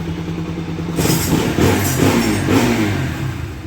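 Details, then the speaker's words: Bajaj Pulsar NS 200 after replacing the starter clutch one-way and changing engine oil: self-starter spins and the engine catches within a second into a rising rev, with none of the earlier noise or non-starting. "చూడండి friends ఇంతకు ముందు లాగా sound గాని problem గాని లేదు self"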